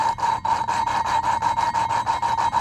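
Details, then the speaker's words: Suzuki DRZ400 valve being hand-lapped with compound: loud gritty rasping in quick back-and-forth strokes, valve and seat not yet mated; it quiets as they smooth out. "what you do is you can actually hear it grinding it's loud right now"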